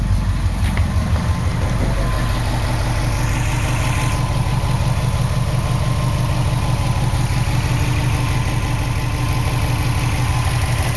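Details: 2003 Subaru WRX petrol engine at idle with an uneven, stumbling beat: cylinder 4 misfire, code P0304.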